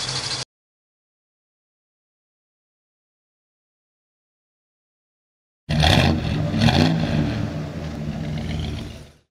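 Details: 1969 Chevrolet Camaro convertible, 350 small-block V8 with stock-style mufflers: after a pause it fires, revs briefly, then settles into a deep, steady burble; healthy cold start.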